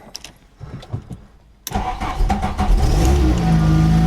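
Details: VW Mk1 Golf Cabriolet, first start after an engine swap and a 3-speed auto to 5-speed manual conversion, with fluids filled, battery charged and some choke on. The starter cranks briefly, then the engine catches into a steady, even low-rumble idle. A clean start.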